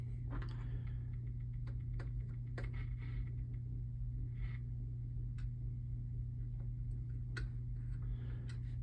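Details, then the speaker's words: Early Bally solid-state pinball sound board after socketing a chip and the amplifier; on power-up only irregular faint ticks, under one a second, over a steady mains hum with no tones: no sound output, fault still present. "okay that's it let's see what happens here nothing"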